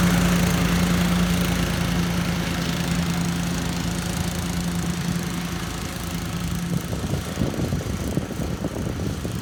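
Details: 2013 Walker T23 mower, 23 hp Kohler, restored after years in a paddock and given a new hydraulic line, cutting grass: even, steady drone, then a rougher, busier patch as the load shifts; pulls cleanly, no knocking; running well.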